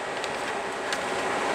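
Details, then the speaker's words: 1996 JDM Honda CR-V RD1 with a K24A3, AWD: both radiator fans forced on through KPro by setting the fan threshold to 50°F (sensor reading 55°F), pulling a lot of air. Even whoosh with no rattle, tick or bearing squeal; normal fan operation. "yep [Applause] very nice it's quite a bit of air"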